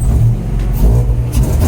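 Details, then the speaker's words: Honda with H2B K-series intake manifold, untuned (only injector size set, IACV error disabled; driving AFR swings 16-12): deep, uneven, lumpy revving under acceleration; runs rough, cause unknown, awaiting base map. "that sounded terrible obviously something's going on to I have no idea"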